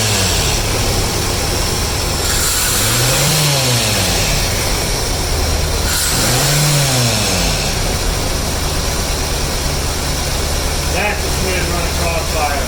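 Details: 1982 Corvette with Crossfire fuel injection after cleaning the injectors; even idle, then two quick blips that rise cleanly and settle without stumble, idle much better, running healthy.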